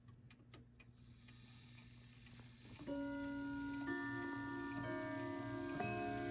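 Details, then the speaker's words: Vintage French Franz Hermle Boulle-style clock, wound fairly tightly with original key, minute hand advanced to half hour; even ticking then clear overlapping chime notes about a second apart; normal half-hour chime. "So that's the half hour, and we'll advance to the 45-minute mark."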